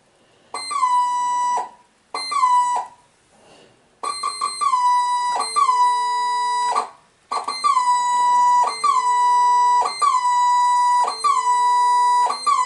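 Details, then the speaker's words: Casio DH-100 digital horn on five AAA batteries, stored unused since the nineties: each key press gives a loud, harsh, buzzy squawk over the saxophone voice in uneven bursts; common squawk fault, cause not yet traced. "a pretty horrible noise very loud noise with Simone in the background what sounds like a saxophone sound"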